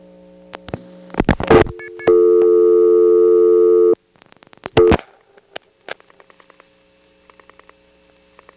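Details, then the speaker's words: 1977 call from Atlanta Drake step through Crossbar tandem to supervision test in downtown Crossbar 5; steady line tone with faint short chirps leaking between clicks; crosstalk from MF incoming register or perhaps MF sender. "There was some crosstalk from an MF incoming register, or perhaps an MF sender, in this Crossbar 5 we're calling."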